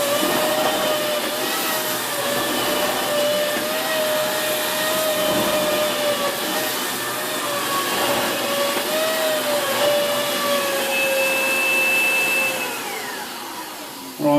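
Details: Dyson Big Ball Animal (CY23) cylinder vacuum, three months old: a steady roar with a wavering high squeal that comes and goes with the wand angle. The loose hose joint intermittently breaks its seal and leaks air.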